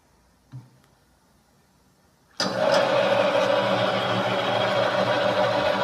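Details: The engine fires and idles with a persistent high whirring tone and a fast, even tick over it; the cause of the unusual engine noise is unclear.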